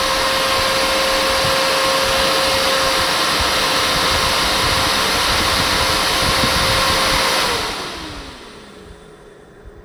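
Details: BMW G310 R radiator fan motor after repair, with brushes refitted and joints resoldered, bench-tested on 12 volts. Steady even whir with a constant tone, no scraping or stutter, then a smooth spin-down when power is removed. The motor runs fine.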